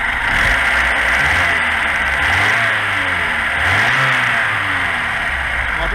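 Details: Carbureted VAZ 2106 that idles unstably and stalls; disconnecting the idle solenoid valve changes nothing, so the carburetor must be opened: revs wander up and down with no settled idle, clogged carburetor idle channel.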